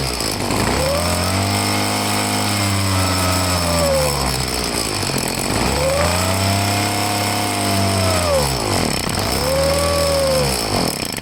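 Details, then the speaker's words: Handheld two-stroke blower, choked, surging and sagging in slow waves, never holding revs; owner says it's no good and plans to take the carburetor apart. "Alright, it's no good. I'm gonna have to take the carburetor apart and see what's going on with it."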